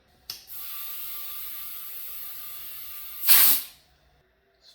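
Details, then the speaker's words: ATV/UTV tire with a large tear, inflated: steady high hiss then louder gush of air escaping through the tear, too big for a plug. "okay so there's our hole couldn't really see it till we put air in i don't know if you can hear that but it's making a sound if you put your ear up to it you can hear it"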